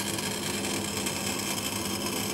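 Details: Condensing unit after condenser fan replacement, compressor survived, running about ten minutes: even, steady rush of fan air over a smooth compressor hum, no knocking or rattle; normal running.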